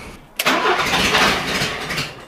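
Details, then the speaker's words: Renault Trafic restarted after 23 years, homemade straight-through exhaust, no water pump or cooling: catches after brief crank, harsh loud raspy roar, holds idle briefly then stalls. "Je laisse l'échappement comme ça mais bon il fait quand même encore du bruit, c'est parce qu'il faut pas oublier que sur les échappements modernes"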